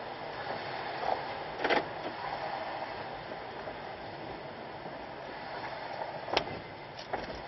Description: There is a random popping sound from passenger side windshield and A-pillar area (not from dash) when front right wheel hits a speed hump or other bumps on road.